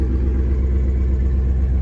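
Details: Nissan Patrol with LS1 V8 swap, first start, cold idle: steady low rumble that doesn't dip with clutch let out in first, so the clutch isn't taking up drive; gearbox to come out.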